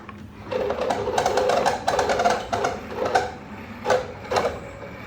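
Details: Old Town PDL Drive (2017) pedal kayak drive in a quiet room; sharp dry squeaky chirps in bursts with each push of the pedals, a loud squeak while pedaling.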